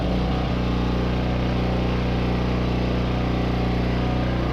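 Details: Roughly 30-year-old Coleman PowerMate generator with a Subaru engine, unused and not starting for a year; started on clean fuel with the choke on and a small air filter fitted. Steady, even low drone, no hunting or stumbling; normal idle.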